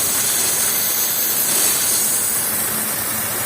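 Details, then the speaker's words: Daewoo car engine running rough at idle: loud, steady high hiss from a vacuum leak found by spraying water, drawing extra air into the manifold and causing the misfire. "ده سبب البرجله ده برض تمام طبعا التنفيذ ده بيسحب بيسحب هواء زياده بيسحب هواء زياده للمنافول فبيبرجل العربيه"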